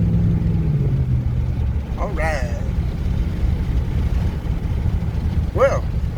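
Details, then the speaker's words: 4x4 truck on a road test; the 4x4 fault was traced to a popped or broken vacuum hose: a steady low driveline drone with a couple of faint squeaks and no grinding; the drivetrain sounds healthy, 4WD not yet tested. "So far it doesn't sound like anything. So far so good. Still gotta test out the 4-wheel drive, see if that still works. So far we ain't got that sound, and usually we would have got it by now."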